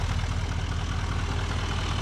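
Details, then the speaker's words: 2017 GM Duramax L5P diesel idling after harmonic balancer replacement and new belt: steady, even low idle with no squeak, ticking or wobble; idling much better, belt squeak gone, normal. "The thing is idling much better. I don't have any more belt squeak."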